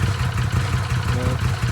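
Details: Arctic Cat Wildcat 1000/X side-by-side after starter gear upgrade and starter boss reinforcement: short steady low idle throb with an even beat, no knocks or grinding; engine settles and runs smoothly.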